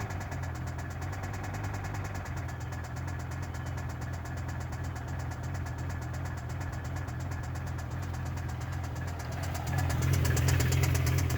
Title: BMW M5 E60 knocking noise